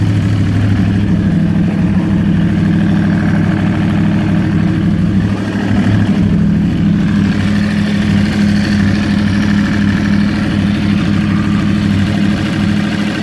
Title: Yamaha R1 2012 Ticking noise